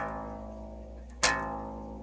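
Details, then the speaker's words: Open A string on a Fender-style bass plucked after the nut slot was tightened with baking soda and superglue and then refiled; it rings cleanly with no buzz or rattle. "no more buzzing"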